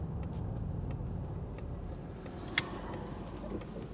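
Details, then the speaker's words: 2005 Nissan Elgrand E51 driving after new anti-roll bar drop links: low road rumble with only one faint tap over a bump and no repeated clunking; front suspension now much quieter. "not bad for a significant piece of hardware on a japanese domestic market only grey and poor vehicle and that is so much quieter"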